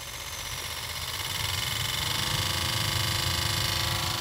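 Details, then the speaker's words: Toyota Innova Reborn diesel, AC blower fan switched on: a fast, busy rattle rides on the airflow whoosh as the fan spins up. "Nah itu adalah suara dari blower AC yang ada dua kemungkinan"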